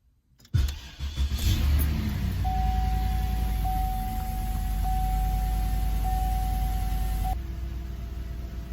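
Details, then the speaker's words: 2006 Cadillac DTS Northstar with code P0305, after replacing one spark plug and coil: quick crank, catches cleanly and settles to a smooth, even idle with a chime; the earlier cranking stumble and pedal shake are gone. "Okay. It sounds good. It sounds normal."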